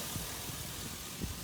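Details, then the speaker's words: 5.3 LS swap with a stock 4L60E in an El Camino, replacing a carburetor: first cold start of the day after a short fuel pump prime, no gas pedal needed. Quiet, low, steady idle with no knocks or ticks. Normal cold idle. "That was the first startup of the day. You ain't gotta hit the gas. You don't have to."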